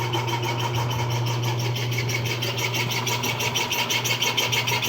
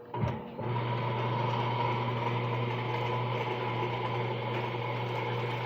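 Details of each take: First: Washing machine noisy when switched on: a steady motor hum with a rhythmic high scraping about three times a second, traced to the motor, from a dry, rusted motor bearing. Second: Washing machine motor after lubrication fixed a loud noise at startup: switch click, then steady low hum, spinning smoothly with no squeal or grinding.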